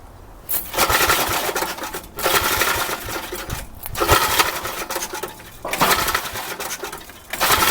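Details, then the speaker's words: Old Troy-Bilt Horse I tiller, single-cylinder, after valve cleaning, a new plug and a replacement carburetor: rough, uneven surging idle with sharp irregular pops every couple of seconds. It now idles but still backfires, sounding somewhat better; the cause is unconfirmed. "Okay, that's weird. It actually did sound better that time. It did still pop some though. It is sounding better."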